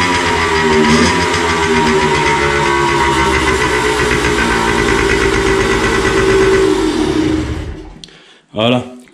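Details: Two-stroke after carburetor cleaning: uneven, lumpy putter with irregular firing and no clean steady beat; running rough, owner suspects the non-original carburetor is badly adjusted and plans to check the spark plug.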